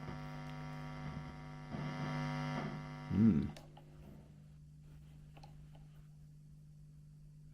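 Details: 1970s Burman Pro 50 W 1x12 hand-wired valve combo, volumes down: faint constant low mains hum, steady pitch, quieter once warmed up; owner suspects original capacitors or tubes, unconfirmed.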